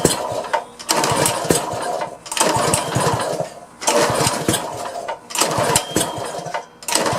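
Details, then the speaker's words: Power washer engine after carburetor cleaning, started once its on/off switch was turned on, throttle at midway; small single catches and keeps firing, surging up and down about every second as it settles; normal running. "well that did it that is one hefty motor man that Joker is suckers got some powered on it"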